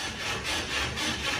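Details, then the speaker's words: Toyota Tacoma loaded with camping gear, on Old Man Emu heavy-duty rear leaf springs, squeaking since weeks after install and severe by 10,000 miles: harsh rasping creak swelling with suspension movement, worn isolator pads between leaves; over-tight spring clamp brackets found. "the thing sounds like an old buggy"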